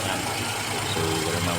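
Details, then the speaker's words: Geely Okavango 1.5TD that would not start, confirmed by scanner as a faulty non-charging 48V hybrid system: now starts and holds a steady, even idle with a smooth low hum, no knocks, misses or ticks; running normally. "Ayan umandar na."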